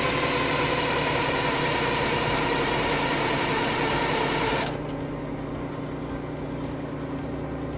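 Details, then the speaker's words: AVGP Husky military vehicle diesel, fuel system and electric pump now working: steady cranking about three pulses a second that never fires; couple of injectors seized on the racks in no-fuel position. "we pulled the rocker covers and found out that couple of the injectors appear to be seized on the racks so they're stuck in a no fuel position so that's why it's not firing enough"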